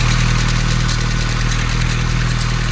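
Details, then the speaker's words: 2013 Hyundai Accent petrol engine with misfire, hard starting and oil warning light idles with a loud, busy metallic clatter; mechanic says the timing chain is loose, engine to be dismantled. "so kakalasin yung timing chain no so wala sa t maluwag na kuya no maluwag na yung timing Chin so sabi ni kuya Mechanic"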